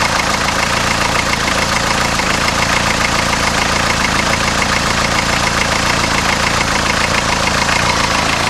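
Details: 1982 Isuzu I-Mark diesel, about 149,700 miles, running on waste vegetable oil mix, cold start after extended glow plug time: steady, even diesel clatter at idle with no misses or hunting; healthy.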